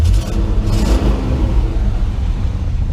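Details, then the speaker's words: 1988 Chevy Custom Deluxe 30 truck idling in neutral: deep steady V8 rumble with a brief light throttle blip, running smooth and even; an exhaust leak is mentioned somewhere, otherwise it sounds good. "oh yeah that thing sounds good oh she sounds good absolutely wonderful"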